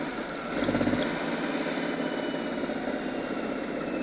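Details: DA52T with check-engine light and weak acceleration, after camshaft sensor replacement and checks of the common-rail injector return: a steady, even idle with no misses, knocks or hunting, settling smoothly after a brief rev; normal idle.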